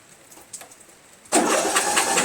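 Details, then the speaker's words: Replacement Briggs flathead engine on Murray Select lawn tractor, RJ19 plug fitted, oil-soaked carburetor, mouse nest: fast even cranking, no firing; feels too easy, owner suspects low compression; cranks, no start. "let's see if it turns over it feels like it's too easy you know like there was not enough depression"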